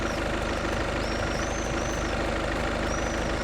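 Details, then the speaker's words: Volkswagen Golf 7 2.0 TDI DSG diesel, fully cold after sitting overnight, idling: even, quiet, smooth clatter with no knocking from the dual-mass flywheel damper; healthy. "Ну що працює тихо не стукається вже добре значить а плюс 600 $ карман да тобто ну точніше не буде мінуса от"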